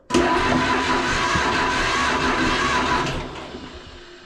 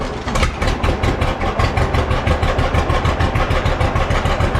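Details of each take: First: Old John Deere B tractor cranked out of gear with spark plugs now installed, before fueling: steady even starter churning about three seconds, pulsing on each compression stroke; exhaust pipe bounces, healthy compression. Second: Old John Deere B tractor just started after carburetor float check, new lower radiator hose: slow chuffing idle about three beats a second, slightly uneven; runs a little rough, owner wants it evened out, likely carburetor.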